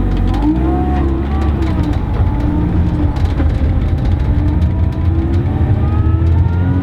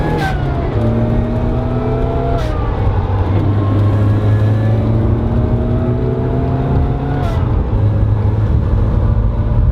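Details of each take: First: Supercharged car on test drive with relocated throttle body: wavering, fluttering whoosh rising and falling with revs under boost, compressor surge because the blow-off valve was installed incorrectly and wasn't working; bad for the supercharger. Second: Supercharged Mazda Miata on a test drive after relocating the throttle body and fitting a blow-off valve plumbed to the intake manifold. A loud supercharger whine rises and falls with revs, and the valve gives sharp hissy puffs on each throttle lift; both work normally.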